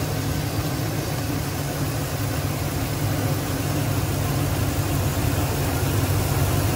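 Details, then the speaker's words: 2010 Silverado 2500, 6.0L V8, after repairing a chafed wire in the engine harness that likely powers a coil bank. Steady, smooth idle on all eight cylinders with no skip during the wiggle test: normal idle. "well seems to sound okay on smoth obviously there's more work needs to be done with this harness"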